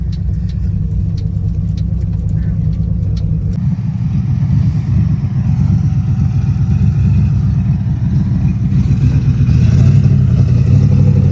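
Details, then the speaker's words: 1986 Jeep Grand Wagoneer with its front passenger brake seized being dragged around: the engine revs hard under heavy load with a rough scrubbing drone as the wheel stays locked and the vehicle barely moves. "Nick is dragging me around the backyard for a hot lap to see if we can break that front passenger tire loose because the brakes are clearly very locked up."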